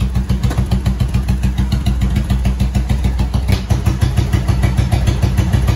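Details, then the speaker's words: Motorcycle jump-started from a Milwaukee impact tool battery after choke, owner suspects kill switch trouble: steady single-cylinder thump about three beats a second, evenly spaced, no misses or rattles; normal idle. "choke [Music] it runs pretty good"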